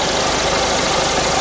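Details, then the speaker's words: Engine running, power steering pump heard through a listening extension rod held on the pump: smooth, even whir with no grinding or bearing rumble transmitted up the shaft, so the pump is working correctly. "the power steering pump I'll listen to it all the noise the bearing noise is going to be transmitted not the set scope at the shafted extension now I can't uh hear anything on toward W there so as far as I'm concerned that's what that's working correctly"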